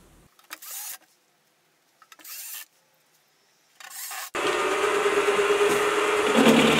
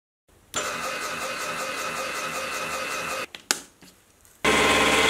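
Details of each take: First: Milling machine after a stiffening plate was bolted to the back of the column, repeating earlier cuts at almost 3 mm width of cut: steady, even spindle tone with no harsh chatter. Much quieter with less vibration than before the upgrade. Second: Small milling machine of about 100 kg, before column stiffening plate, 2 mm width of cut in steel; steady cut turns harsh and buzzy with rattling chatter, limited by the flexible column frame rather than the motor.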